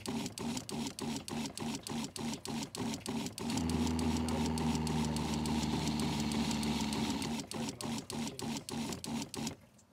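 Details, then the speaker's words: Winnebago Revel RV fresh-water pump after adding an accumulator tank; small pump chatters on and off about three times a second then runs steadily, still cycling but far less often than without the tank. "so the pump still goes on and off but not nearly as often as it did without the tank"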